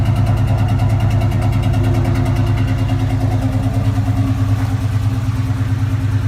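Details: Cobra at idle: loud, deep, uneven lumpy beat about three pulses a second that never settles; rough idle.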